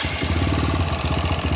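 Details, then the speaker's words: TVS Apache RTR 160 4V at 41,000 km, idling: hard rapid metallic hammering knock from the head, about fourteen a second; teardown found piston slap from a loose piston plus a worn intake rocker arm bearing, not the tappets first suspected. "41,000 कि.मी. चलने के बाद इस गाड़ी में वही sound आया है हेड से।"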